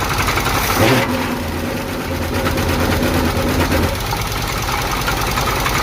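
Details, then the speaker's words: 1976 Chevy El Camino V8, first run in a long while after sitting: rough idle with heavy uneven knocking steady with engine speed; serious internal engine knock, cause unknown. "this engine sounds like Purity [ __ ] whether it's from sitting whether this thing was just on its way out last time I heard this engine run it never sounded like that"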